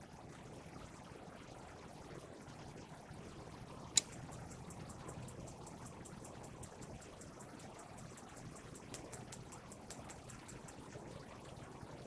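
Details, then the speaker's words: RV gas water heater on propane: a quick run of sharp igniter ticks, about three a second, trying to light three times without the burner catching, then pausing and retrying; likely air in lines after new or refilled propane tanks. "you'd turn your propane button on and you can hear it clicking. And it's trying to light. So as you noticed, it tried to light 3 times."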